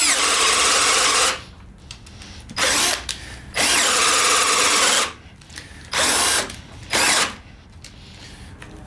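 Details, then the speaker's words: Hercules 12V drill (Harbor Freight), brand new, drilling 3/4 holes under heavy load: motor whines hard, cuts out and restarts in bursts, repeatedly shutting down from overheating, smoke smell noted. "I'm overheating it it's brand new bro it's brand new I'm already overheating the thing"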